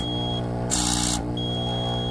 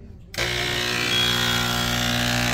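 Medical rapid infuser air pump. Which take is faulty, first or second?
second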